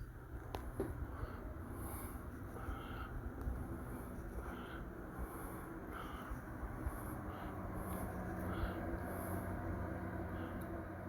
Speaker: the manufacturer rates this fan at one sonus which is about as quiet as a soft rain or a low hum of a refrigerator